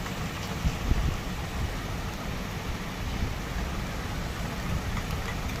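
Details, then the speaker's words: Maruti Suzuki WagonR CNG idling on CNG after addressing the fuel pressure regulator fault and clearing it; steady, even low rumble with no stumbles, previously misfiring, shaking and not converting to CNG; now running cleanly. "अभी देखिए एकदम perfect हो गया"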